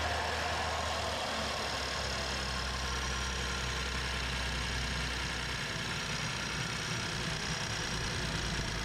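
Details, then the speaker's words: BMW N55 just after first start following valve cover install with fuel lines opened: uneven lumpy running with irregular knocks; roughness attributed to fuel still coming back into the lines. "And you heard the rough start. Obviously, it's because the fuel is coming back in lines."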